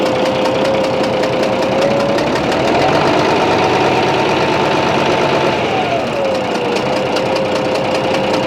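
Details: Bizon A-01 diesel at idle: hissy, rough running with a soft snorting knock two or three times a second, changing when the third high-pressure injector line is loosened; owner suspects the first head must come off, cause unconfirmed.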